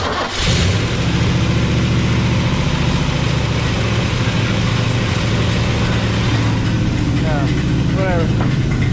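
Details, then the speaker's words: Big-block 454 Chevy, off the road since 1998, started in the donor truck with the linkage ratchet-strapped, to replace the 72 C10's ruined engine: catches quickly into a deep, steady rumble. Oil pressure about 30 at idle, no weird noises. "so all right we know it runs doesn't make any weird noises we'll take it"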